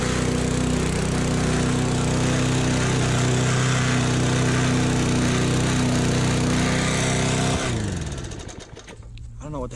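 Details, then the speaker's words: Push mower running: steady engine drone at even speed with faint rattle, only when handles pushed down, then shuts off; owner suspects something loose bouncing, cause unclear. "What's that noise? I have no idea. It's like only when I push down on the handles."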